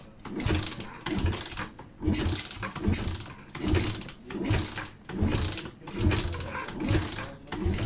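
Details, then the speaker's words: Motorcycle engine just rebuilt with Espada E Pro 63mm domed piston, ESR 2 camshaft, carburetor refitted and oil changed: cranking bursts about once a second, each fading without catching; engine turns over but fails to start, with a torn hose found afterward. "Tukar minyak hitam. Kita start. Duduk tak hidup."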